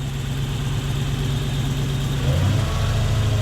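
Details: Toyota 1UZ-FE V8 hotrod idling after fuel leaks were checked; deep even burble with no hunting, hiss or stumble, "purrs like a kitten", a normal idle.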